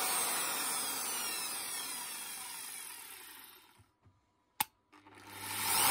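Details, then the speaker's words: Zubr ZUBR-UShM-230-2100 PM3 230 mm angle grinder, brought in not switching on (bad contact found), running after reassembly: high, rough whirring spin-down with a gritty hiss; all three bearings worn and need replacing. "принципе слушаем рабочие но ему поменять все подшипники то есть три штуки здесь вот здесь короче будем менять 3 подшипники"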